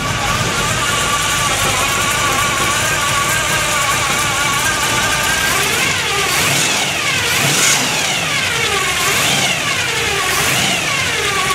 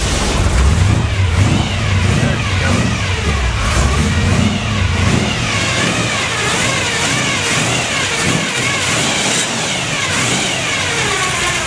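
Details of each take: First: 1957 Chevy custom after a cold start: steady engine running with a constant high whine that rises and falls with revs, the normal noise of its Pete Jackson gear drive timing set. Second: 1957 Chevy 350 V8 with two four-barrel carbs, freshly cold-started: rough, extremely rich running with a gear whine rising and falling with revs from a noisy Pete Jackson timing gear drive.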